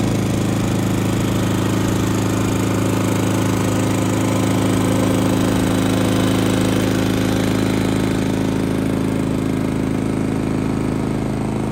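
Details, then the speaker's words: Genmax GM7500 iAED dual-fuel inverter generator on low idle, right side at about 10 ft, 66–68 dB; run 9.5 hours without issues. Steady, smooth unchanging low hum, no knocks or surging; normal idle. "So not too bad. You can see it's pretty quiet. Right now it's on low idle."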